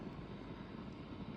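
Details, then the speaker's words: Marshall DSL5CR 5-watt valve amp before retubing, nothing played: steady low fluttering rumble with faint fizz, equal on both channels and not worse with classic gain flat out; owner suspects a power valve, unconfirmed. "classic gain channel it can be flat out, and then the rumbly fizz buzzing noise doesn't get any worse. So I suspect that means it's a power valve because it's equal on both channels."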